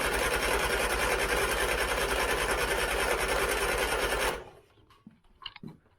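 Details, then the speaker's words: 1970s Turner Ranger tractor, 1098cc A-series engine, rebuilt carb with unsinkable float: fast even cranking about three turns per second for four seconds without catching; float sticking, fuel pouring out the top, over-fuelling, plugs wet. "now you can see I've definitely got problems with the float you see the fuel pouring out the top so let's sort that out first before we have a big bang definitely over fueling spark plugs are all wet again"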